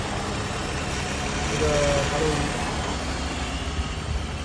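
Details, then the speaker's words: Freshly overhauled 3.0 V6 in a 12th-generation Toyota Crown, tensioner and idler pulleys still slightly noisy and not yet replaced: smooth, even idle with a steady hum, no knocks or misses, low vibration; the engine sounds healthy. "现在整个工况都是非常漂亮直接展示给你听"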